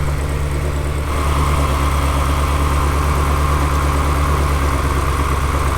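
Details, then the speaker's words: Salvage-auction Ferrari engine misfiring: ignition harness unplugged to drop one cylinder, idle turns lumpier and more uneven, showing that cylinder's ignition works; dead-cylinder rough idle during ignition check before vacuum-leak test. "got the harness I've undone it and it definitely has changed here"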